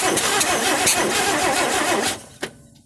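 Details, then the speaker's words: 1958 AMC Rambler Super, newly fitted engine, during first-start attempts after timing readjusted and gas poured into carb: starter churns fast with irregular pops, never catches, just backfires; no fuel reaching fuel line, filter and pump dry. "that's as good as it ever sounds that's as good as it ever sounds and it never catches it just backfires"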